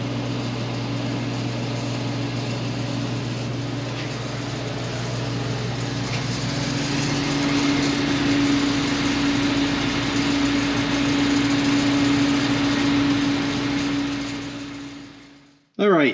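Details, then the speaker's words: Forced-air garage heater blower, noisy since installation, runs with steady buzzing hum and rough rattling vibration; owner pulled the fan off and thinks he found the issue. "he's like I don't know why it has this kind of like noise so it's kind of like a vibration almost like a rattle sound"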